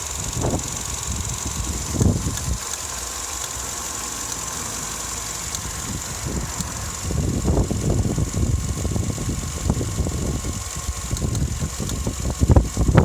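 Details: Vauxhall Astra MK6 when warm: uneven rough idle with irregular low thumps and surges every few seconds over steady drone, also shudders while accelerating; cause not pinned down.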